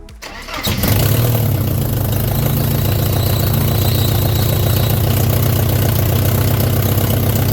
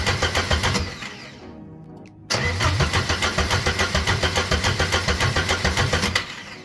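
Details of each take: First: Porsche 924S after clutch, pressure plate, throwout bearing and rear main seal replacement and flywheel resurfacing; after reconnecting two bellhousing sensors it catches quickly and settles into an even, steady idle with no misses or knocks; normal start and idle. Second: Porsche 924S after clutch, rear main seal and flywheel job: two bursts of even starter cranking at about 3.5 turns per second with no firing; owner suspected an unplugged ground, cause was swapped crankshaft sensors.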